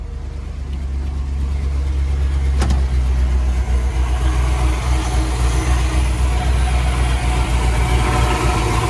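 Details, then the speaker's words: Dodge Prospector truck just after engine swap, water pump still leaking: steady even low idle, smooth rhythm, no knocks, squeals or misses; thermostat open, engine sounds healthy. "Oh yeah, thermostat open. Everything seems alright."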